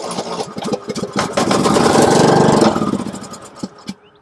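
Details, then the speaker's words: Riding lawn mower engine that cranks but won't start, tested with starter fluid sprayed into the carburetor air intake: catches and revs briefly, then dies, so spark and compression are okay and fuel supply is faulty, likely a dirty carburetor. "and compression are okay, leaving you with a fuel supply problem. A dirty carburetor is usually the culprit when the engine isn't getting fuel."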